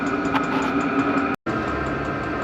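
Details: Diesel air heater newly installed in a Promaster van, first run after the initial white smoke burned off, blowing hot air: steady, even hum with a constant whirring tone and no knocks or surging; normal running.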